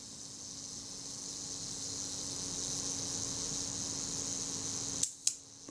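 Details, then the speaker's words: Kodak Retinette type 022 leaf shutter during servicing, self-timer set and released: a steady high buzz for about five seconds as the timer winds down, then two crisp clicks. Shutter fires cleanly. "set the self timer set it to oh you 18 will do I suppose and release it you can hear the self timer running"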